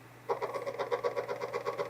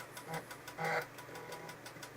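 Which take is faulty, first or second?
first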